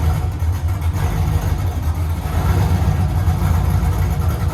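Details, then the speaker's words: LS-swapped Chevy C10 just after first start, untuned, unknown big cam; deep choppy idle with uneven loping beat, steady throughout; lumpy cam idle. "guys i guess this thing's got a cam in it huh i have no idea what it is but i have the cam card i don't know how much chop that is but seems like a lot"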